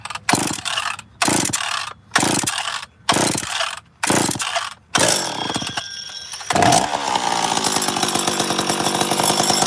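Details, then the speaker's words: Chainsaw model 850 starts after about six cord pulls and holds a steady buzzing idle without stalling, a normal start and idle; bar oil in the cylinder is seen coming out the muffler. "so basically I brought this up to show you what on 850 supposed to sound like when it was odling so we'll see how it starts it should start pretty good normally does"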